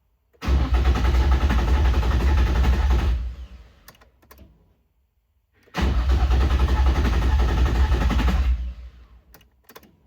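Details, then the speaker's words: Nissan 350Z, sitting dead over 2 years, engine and transmission reinstalled; previously sputtered and idled briefly: two three-second cranking bursts at about three turns a second, fuel pump heard priming, no firing; cranks but won't start. "As you can hear, it's just cranking and cranking and cranking and nothing's really happening."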